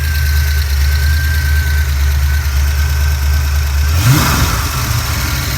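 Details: 1988 Mustang GT, 5-speed, with a rebuilt A9L ECU and a cracked Pro Comp upper/lower intake. Steady low V8 idle, then a quick throttle blip near four seconds before settling back, sounding healthy; fuel pressure about 30 psi, rising to 35 on rev.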